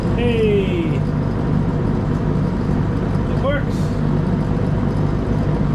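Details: Draper IR20 diesel/kero shop space heater after new burner nozzle, power cable, fuse and circuit board fix: steady even roar with no misfire, popping or surging; burner lit and running cleanly.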